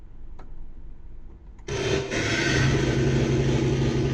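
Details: Secondhand Yamaha SY22 synth: a loud droning, harsh foghorn-like pulsating tone with a hissy wash, present at power-on and worse when notes are played, less with some presets. It plays normally in test mode. Cause unknown; owner suspects the presets and hopes a factory reset helps.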